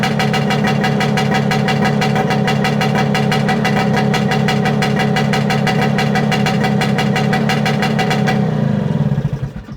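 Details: Circa 1970 Yamaha P125A two-stroke outboard, first start of season after rebuild, restarted without choke: steady crackly idle firing about three times a second, then cut off and dies away smoothly; normal idle.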